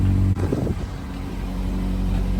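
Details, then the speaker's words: 2007-2011 Honda CR-V at idle before repair, on a windy day. Low, steady rumble after a sharp knock, with soft puffing ("farting") underneath. Exhaust leak from a rotted-through resonator in an aftermarket cat-back exhaust. "Yeah, car's farting at me. That is unacceptable."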